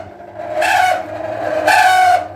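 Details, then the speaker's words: Microwave oven running at 800 W: steady mid-pitched drone broken by two loud rough surges of noise from inside, while it still heats; worn noisy cooling fan motor. "यह आप आवाज सुन रहे हैं। काफी ज्यादा आवाज निकल रहा है इसके अंदर।"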